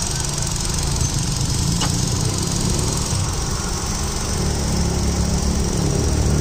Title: I20 Magna, 2009, Silver color, DL3C, Engine noise.